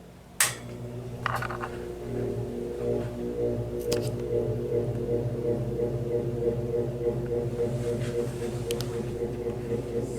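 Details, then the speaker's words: Vintage General Electric F11W16 box fan starting on low speed; low steady hum rising slowly as the blades come up to speed, sluggish start; motor needs oiling, draws about 2 amps on low, rotor not perfectly round. "the start off a little bit slow so it definitely needs some oiling for right now"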